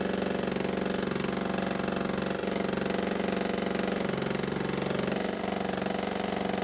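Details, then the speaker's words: Honda mower with a blade clutch, run on the table after cleaning and adjustment: steady idle with a regular hard knock about three per second; the owner wondered about the blades or clutch. "unfortunately it sounds as though the noise is still there and now I have to wonder if somehow the blades and the clutch are involved"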